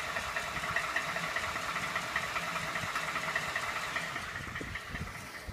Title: 2012 f150 5.0 engine knock2